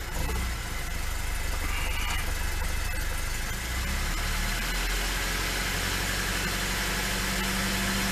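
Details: Carburetted Lada 2102 with new suspension and exhaust: uneven idle with a brief sag as the revs pick up, then a rough tick-over. The owner notes a flat spot on the throttle.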